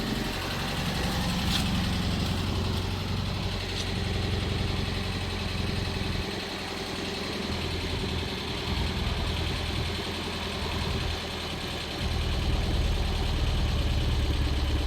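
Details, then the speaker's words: 2025 Kia Soul, 12,985 miles, idled non-stop for a year and likely run out of oil, sludged, warranty denied: rough idle with harsh clattery, chattery knock, heavy tailpipe smoke, possibly broken motor mount; engine damaged. "But you hear how bad that thing sounds? I mean, it is just clattery, chattery."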